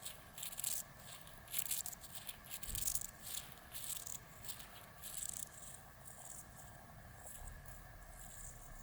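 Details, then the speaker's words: Bicycle rear hub non-drive-side bearing, a year old with water ingress, turned by hand close to the microphone: scratchy, irregular gritty, squeaky rasping from the worn bearing. "is gritty as squeaky rough as anything"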